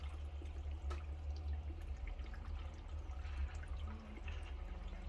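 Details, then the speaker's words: Fluval 407 canister filter during priming without pre-filling; low steady hum with faint trickling and gurgling as water draws into the canister while tank level drops, normal filling. "yeah, it's now filling the filter with water. So you do not need to pre-fill the filter."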